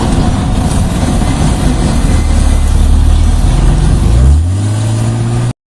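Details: 1998 BMW E36 323i coupe automatic, recorder fixed under the car: low rumbling drone with uneven clicking from the rear while reversing in a circle and driving a figure of 8; rear noise when turning, cause unknown.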